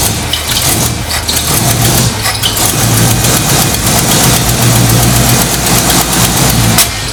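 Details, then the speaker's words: 1968 Ford Mustang V8, bad coil voltage fixed by jumping 12 volts from battery to coil: catches and settles into steady lumpy idle with light blips, runs and revs cleanly; belt needs tightening. "oh my God so ridiculous the whole time it was bad voltage listen to it it's purring aside from the belt I can tighten that up"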